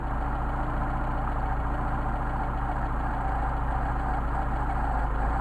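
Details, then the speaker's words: Mercedes 190SL Solex carburetors on test, idle mixture screw adjustment: steady low idle with a slightly uneven, loping beat, stumbling and nearly dying as the screw goes too far; set at the midpoint between stumbles. "Screw it in until the engine starts to stumble. Screw it out until the engine starts to stumble, and get the midpoint. Starting to stumble, and you hear it almost died."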